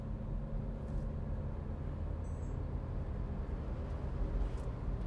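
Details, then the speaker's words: Nissan Grand Livina driven over a rough, corrugated road test after steering rack repair; only low road rumble with no clunks or knocks from the front end; the suspension is quiet. "Coba kita jalan yang keeriting Jan kita tesin Jeleng Kiting dulu ini udah enak si juragannya ini jalan ini udah enggak ada bunyi"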